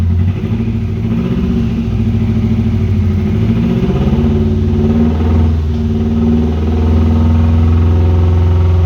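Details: 1996 Subaru WRX that sat outside 7 years (rusted fuel tank, no sump oil, rusty coolant), first start with fresh oil, new oil and fuel filters, original plugs: low lumpy unsettled idle; running on four cylinders after coaxing, injectors may need cleaning.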